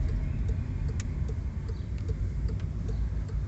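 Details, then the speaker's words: Volkswagen Voyage driver's front door while driving: steady road rumble with only a faint even tick. The door glass no longer knocks when lowered, fixed by shimming the glass with cardboard. "Ficava era só baixar o vidro. Começava a bater aqui, ó. Não tem mais barulho"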